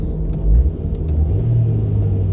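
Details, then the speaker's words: Nissan Altima after exhaust repair: low, smooth rumble rising gently with revs, no blowing, ticking or rasp from leaks; quiet, sealed exhaust. "that's me revving the engine there it's really quiet so i think exhaust wise we'll get through inspection pretty quick no problem"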